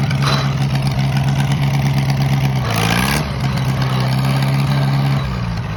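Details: Minneapolis-Moline model BF tractor that had been sitting over a year settles into a steady low idle, takes a quick throttle blip and drops back smooth and even; runs real nice.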